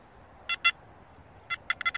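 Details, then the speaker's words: Makro Multi Kruzer metal detector in 4-tone mode, coil not swinging, sound from speaker: short sharp high-pitched chirps in uneven bursts; constant background chirping from running hot, louder and more centered in earphones. "That's the constant noise you have to listen to in 4-tone mode. So that noise there is constant."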